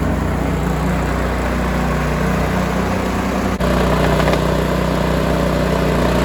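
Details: Cub Cadet 2146 lawn tractor, 14 hp single-cylinder Linamar engine, revived after 3 years sitting, warm idle before oil change: steady even putter, unbroken, no misses or knocks; normal idle.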